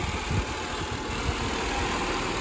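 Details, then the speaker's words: Honda Civic D16 after a head gasket job: steady, even idle with a soft low thrum and no knock or tick standing out; running like a top. "so next on the list anyways this thing's running like a top"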